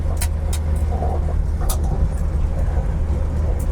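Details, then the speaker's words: Ford Falcon on its first drive since 1991, with a new fuel pump and shocks; not overheating. A steady engine drone while driving carries sharp, irregular metallic tonks about every second from a loose, rattling exhaust, which is suspected but not confirmed. "That exhaust is just rattling like crazy, too. You hear tonk."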